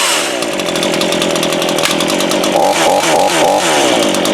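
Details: Brand-new Craftsman 18-inch 42cc two-stroke chainsaw, started per manual with bulb primed and choke: high steady buzz, then clean blips up and down with the throttle; normal running.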